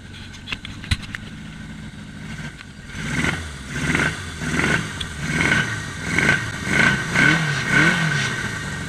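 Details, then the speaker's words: 1981 Yamaha XS1100 on Speeduino engine management: idle speed slowly climbing and surging in waves about two per second as it runs out of fuel. "well there's the idle climb as it runs out of gas"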